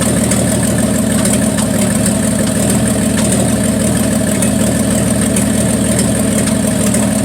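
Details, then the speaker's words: 1974 Plymouth Duster slant six, cold start at 21°F: a loud idle with an uneven, stumbling beat, a miss at idle. The owner suspects the valve train is too tight and plans to adjust the valves; cause unconfirmed. "As you can hear, that thing had a miss in it, and I think the valve train is too tight."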